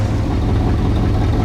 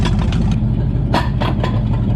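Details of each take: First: 1963 Chevy Impala wagon V8, first start after sitting about 20 years: low, uneven lumpy idle with stumbling exhaust pulses; misfire, later traced to two plug wires crossed against the 1-8-4-3-6-5-7-2 firing order. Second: 1963 Chevy Impala wagon V8 parked about 20 years, after fixing two crossed wires and removing a cherry bomb muffler from one header: loud, deep rumble rising and falling cleanly with throttle blips, no misfire or rattle; still needs more timing.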